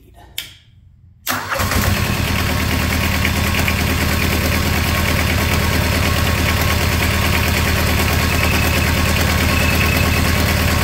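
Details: Small diesel auxiliary power unit engine off an old truck, started with glow plugs after the throttle was set lower: cranks briefly, catches at once and settles into a steady, even low idle with no misses or knocks.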